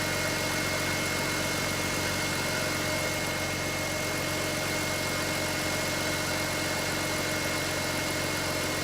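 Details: BMW X3 E83 idling after oil leak repair, mild high-40s day; smooth steady hum, no ticking, misses or hunting, runs good, sounds good. Normal idle.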